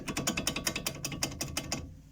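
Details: Daewoo Matiz brake caliper knock before servicing: rapid sharp hollow metallic knocks about five per second, then stopping; the caliper is to be removed and serviced to cure the knock.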